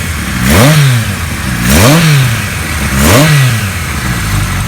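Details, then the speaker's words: 1974 Kawasaki Z1 900 just fully restored, revved with three quick throttle blips; revs climb cleanly and drop back with slight air box/air filter intake hiss, a nice balanced sound: normal revving. "Nice sound. You can hear the air box a little bit, or the air filter."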